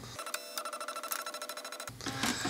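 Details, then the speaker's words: HP LaserJet 2727nf multifunction copier after scanner repair for "scanner error 5": quick even ticking from carriage drive then smooth whir as it moves to calibration strip; earlier grinding gone, scanner motor running normally. "là tout doucement il vient ici il va se caler sur la règle est de calibration kiala il arrive là bas il a compris je pense que là mais il a compris où il était"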